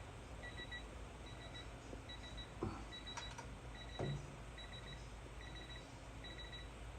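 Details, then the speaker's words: Torque wrench, set to 10 while torquing cylinder heads on a 2018 Hustler Raptor SD's Kawasaki FR691V: short high double beeps repeating about every 0.75 s, the low-battery warning. "trying to tell me the damn batter's [Music] low"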